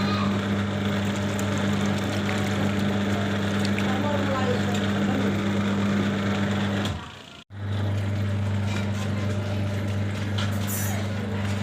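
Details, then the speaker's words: Washing machine, one side compared with the other: the normal side gives a normal sound, while this side has a low motor hum with a rough, uneven rumbling throb underneath. Rumbling noise, cause not stated. "और इस साइड गड़ गड़ क्या हो देखो।"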